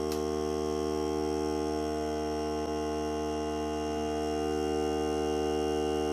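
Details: Hart cordless air compressor during break-in run on a fully charged battery (30 minutes or until the battery dies), pressure around 30, hose connected; steady even motor hum without surging or hissing, no audible leaks, normal running under load.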